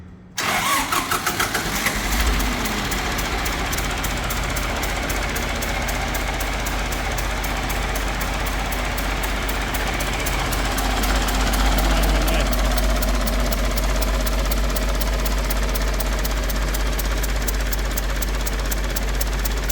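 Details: 50-year-old International 4030 yard crane diesel cranks, catches and runs with steady clatter and a light tick about four times a second; head gasket blown at front between cylinder one and water pump; viewers suspected valves.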